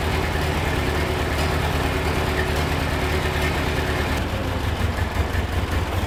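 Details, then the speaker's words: Ford 8N tractor flathead engine revived after valve job and carb work: low, even idle with steady smooth beat, no knocks or misses, quiet with great oil pressure; normal idle. "idled right down. Listen to it. Thing's nice and quiet. Making great oil pressure, which I'm going to run it a little bit and change the oil."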